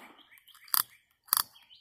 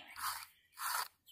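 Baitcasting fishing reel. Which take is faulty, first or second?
second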